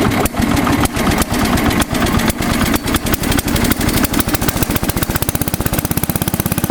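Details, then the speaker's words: Massey Ferguson 10 tractor in great shape, variable drive transmission, started on choke, which it didn't need, so slightly flooded: small engine settles from uneven firing into a quick steady putter, about four beats a second; a good runner. "Yeah, it didn't need choke. So flooded it a little bit. It's alright. But it is a good runner. It really is."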